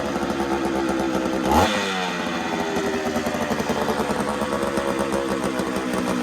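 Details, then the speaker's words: Ported Homelite Super XL-925 82cc two-stroke chainsaw, first start: runs unevenly, blips once, then sags into a rough burbling that never cleans up. Owner thinks it wants fuel, with the carb low-speed screw at 1¾ turns possibly needing more. "All right, so she's running now. What do you think? She wants fuel."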